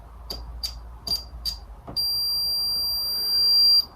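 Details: N gauge Duchess of Hamilton loco during Hornby decoder fit with Digihat kit: a few short chirps then a steady high continuity-meter beep; motor clip shorting to chassis, suspected where refitting forced insulation down exposing bare clip.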